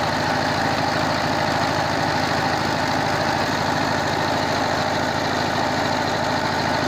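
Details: 22 HP single-cylinder diesel after repair of a worn rocker arm shaft and broken rocker bush, grinding of the head for low compression, and tappet setting. Even rapid thumping beat with no loose knock: normal, healthy idle.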